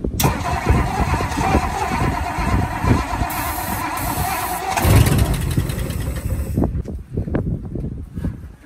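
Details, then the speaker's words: First start attempt on a 1960 Ford Sunliner using starting fluid and a hooked-up battery: the starter turns the engine over in steady pulses, it catches briefly, runs rough, then dies. "all right guys we got the Sunliner here today going to try to crank it over got some starting fluid got the battery hooked up let's see what it does"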